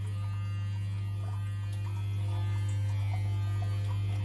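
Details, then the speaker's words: Modified Eheim Quick Vac Pro gravel cleaner run from a 12-volt 45 Ah battery: loud, steady low hum with no change in pitch; motor energised but the pump is not drawing anything. "it's not subtle it's not sucking anything"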